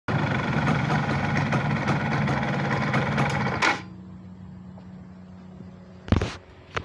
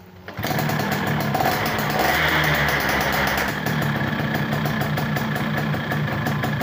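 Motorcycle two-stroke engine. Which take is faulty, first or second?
first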